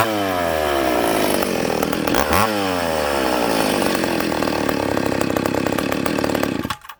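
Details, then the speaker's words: Ported and piped McCulloch Pro Mac 850 chainsaw on its first test: screams at a clean high pitch, dips briefly and recovers crisply, then shuts off; a little rich on the bottom but runs well. "That's a good running power saw. It restarts well, it idles. Little rich on the bottom, but she's good."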